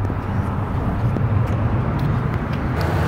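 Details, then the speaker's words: 2020 Toyota Sienna LE wheelchair van, 3.5 V6, 22k miles, hood open: a low, even rumble with a steady beat and no knocks, ticks or hunting. Normal idle. "the hood is a 3.5 V6 idle smoothly. I don't see any signs of any damage."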